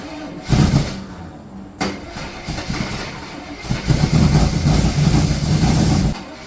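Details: Rebuilt Corvette small-block V8 first start after rocker preload was reset because valves were stuck open: cranks and catches, then uneven lumpy beat surging and dipping instead of settling; something still wrong, owner suspects it needs more fuel.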